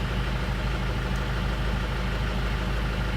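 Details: 2001 Isuzu Panther LS diesel after replacing the pistons and piston rings and reconditioning the original liners, which earlier had heavy blow-by and noise: a smooth, even idle clatter with a steady low rumble and no knock; it idles healthy.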